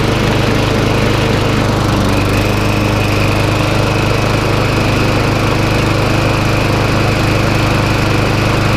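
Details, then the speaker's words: Job-lot McCall Star lawnmower revived with spare parts and new spark plug: small single-cylinder engine running steady at constant speed, no misses or knocks; healthy. "she's now up and running just got put a new spark plug in it"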